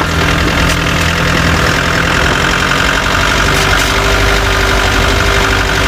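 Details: Chevrolet Tavera diesel at steady idle: faint, irregular rattling knock over the low rumble; owner reports a khatpat knocking sound that 10 mechanics could not diagnose, source unknown.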